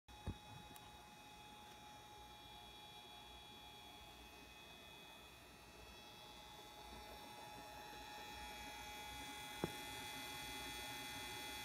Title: Alienware Aurora R7 - Weird noises